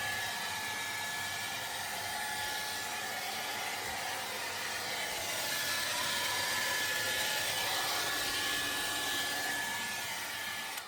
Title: Refrigerator repair F & P Freeze side fan motor faulty causing whole fridge Very Noisy 20250425